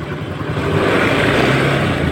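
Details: Honda Scoopy after repair, previously pushed in unable to run with a very harsh engine sound: engine runs smoothly with an even, steady note and no knock or rattle; normal running.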